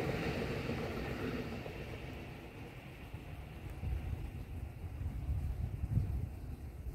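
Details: Kintetsu 5800 series train, set DH02, passing between Nishinokyō and Amagatsuji, rumbling heavily with a repeated low pounding from a flat spot on a wheel.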